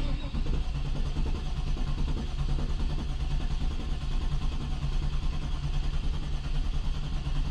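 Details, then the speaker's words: Barn-find 1993 Camaro Z28 on its first crank in 10 years with a fresh battery: smooth, even cranking with even compression, and oil pressure rises, but it never fires. Fuel or OptiSpark ignition is suspected. "Yeah, turning over nice and smooth. But no fire. No fire."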